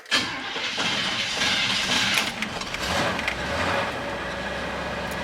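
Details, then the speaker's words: Old GM truck in park, first run since the new CJ Pony fuel tank was fitted, exhaust pipes shortened: it cranks, catches quickly and settles into a steady, even idle with no knocks or misses. Normal start and idle. "we go well she sounds like a champ there let's get her out of here as quick as we can and look for leaks"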